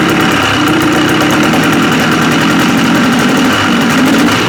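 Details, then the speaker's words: 1974 Johnson 440 snowmobile, 309 original miles, sat for decades, fuel line pinched off after flooding: loud busy two-stroke running with ragged uneven burble; clearing out after being badly flooded. "Now that was that was pretty flooded, but okay. the zero compression. Not not a problem. It's just couldn't tug it fast enough with THE ELECTRIC START."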